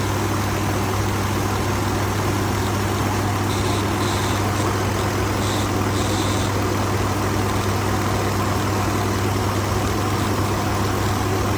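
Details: 2019 Ford F-150 XLT 5.0 V8, bought used at 43,000 miles: deep idle with constant low buzz and slight unevenness; rough idle and intermittent stalling, cause unknown.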